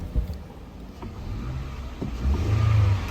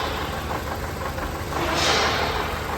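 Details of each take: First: 2014 Toyota Camry 2AR 2.5L petrol after misfire and power-loss repair: idles low and steady, revs cleanly on throttle blip, engine now pulls with power — normal revving, no misfire. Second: 2014 Toyota Camry 2AR 2.5L petrol engine misfiring, stumbling and vibrating when revved, with no power on the road.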